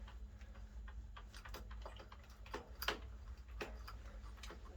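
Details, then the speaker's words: 2005 Yamaha TTR 90 with no kickstart. The one-way sprag starter clutch is turned by hand and gives uneven light ticking, slipping and only sometimes grabbing. "yeah it's looking like it's the one way it's not grabbing the definitely not grabbing it you grabs sometimes that's what people said is sometimes it'll grab it sometimes it won't"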